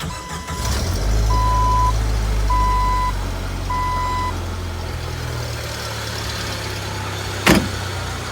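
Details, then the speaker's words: 1997 Jeep Wrangler TJ 2.5 L four-cylinder, after remanufactured head swap, vacuum lines and high idle fixed: three chimes, quick start, steady smooth low idle, no ticking or misfire; normal start and idle. "I guess I'll start it up. You can hear how good it sounds."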